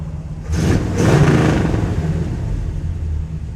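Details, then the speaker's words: 1967 Chevrolet Caprice V8 after sitting 17 years: a deep burble picks up with blips and settles into a steady, even lope; it sounds healthy but runs very rich and needs a tune-up, timing set and carburetor. "I like it. Sounds good. Smells good. It's running really rich."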